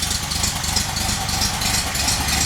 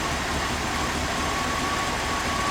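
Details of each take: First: VW engine idling on a rigged temporary petrol tank, with a leaking fuel pump: a dull, rhythmic low woofing pulse under a hissy top end. The cause is unknown and the engine must come out again. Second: Idle of a carbureted Chevrolet V8 motorhome engine, fired up during a cheap transmission fluid flush (about 12 quarts through the circuit); steady, even low rumble with no misses, knocks or stumbles; normal idle.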